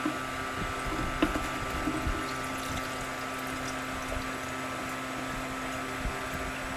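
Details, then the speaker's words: Continuous waste motor oil distillation unit, kerosene- and petrol-like fractions collected, all streams combined: steady, even trickle and splash of distillate over a faint hum; flow is smooth, fast and normal. "going quite fine quite fast so all streams combined giving quite abrasive output"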